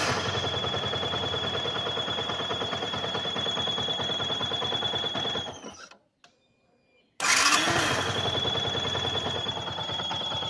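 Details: Yamaha R15 motorcycle idling hot, above 90°C: steady high-pitched whistle from worn water pump bearing loaded by coolant flow; fix is replacing bearing and pump seal.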